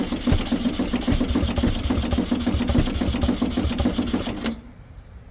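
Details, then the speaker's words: Abandoned air-cooled VW Baja Bug race car on a heavy-duty battery, chuffing rhythmically with uneven pulses while cranking and almost catching but not running. The fuel pump is not sucking fuel through, so fuel starvation is suspected. "give it another couple of cranks that fuel pump's not soaking out which is a bit of an issue"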